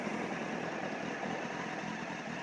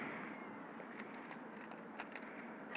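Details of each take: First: 2007 Honda CBF600 NA (PC38) inline-four, idling just after start: fine even rattle mixed into the engine noise, the clutch plate/basket rattle well known on these Hondas, considered harmless but annoying. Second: 2007 Honda CBF 600 NA (PC38) carbureted with choke, ABS, with regular start checks over winter: a quick crank catches at once and settles into a steady, even idle; normal engine start.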